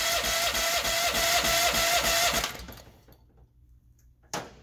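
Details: Honda GX390 engine on a test stand with auto choke left off: fast, even cranking for about two seconds without catching. It has always needed manual choking; the auto choke is suspected of not working. Cranks but won't start.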